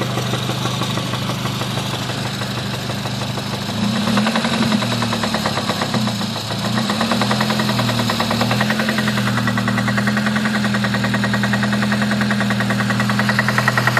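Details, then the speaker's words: 2006 Honda Civic Si, 122k miles: knocking keeps pace with the engine, quickening and growing louder when revved; owner suspects spark knock rather than rod knock, source uncertain. "maybe it's a knock it sounds like spark knock or something possibly spark knock cuz a rod knock is completely different"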